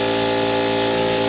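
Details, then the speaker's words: 1979 Chevy inline-six 250 (4.1 L) leak-down test, cylinder 1 with 90 PSI in, holding 12 PSI: steady loud hiss of air escaping past the piston rings, heard at the valve cover. "and 12 PSI and it's mostly coming out of the Rings we can hear it come out the valve cover"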